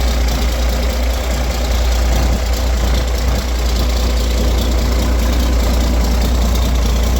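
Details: Roadtec paving machine diesel that previously started, sputtered and shut down, after fuel filter change and exhaust/air intake repair: deep, steady idle with even beat, no coughing, stumbling or dying; running healthy.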